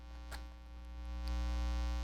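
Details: Live-stream audio with a constant low buzz and steady drone that swells slightly partway through. It is mains hum; the host suspects new cables or the mic pack (it changed when handled). Unconfirmed.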